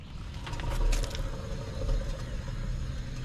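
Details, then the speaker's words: 2009 Hemi Ram 1500 2WD, front jacked up, driver-side front wheel turned: low gritty rumble with scraping clicks from a worn front wheel hub bearing, worsening while driving; hub assembly replaced. "You hear that bearing rolling around in there? So, when I left for work this morning, man, it was like real bad."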